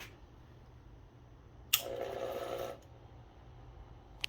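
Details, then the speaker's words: Lyman power feed on Bridgeport milling machine, speed dial turned to low end: soft steady hum about a second then stops; motor energised but table does not move, arcing at low end. "you can sort of hear it making a noise but it's not moving"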